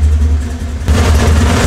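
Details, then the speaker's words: 1969 Camaro with LS3 on Holley EFI, owner complaining of start-up and idle issues: deep V8 idle wavering and lumping unevenly then surging, lean and unstable as if about to stall. Lean unstable idle. "this I feel is our actual number because the car is sounds super lame lean and unstable like it's gonna stall if I just barely flip it"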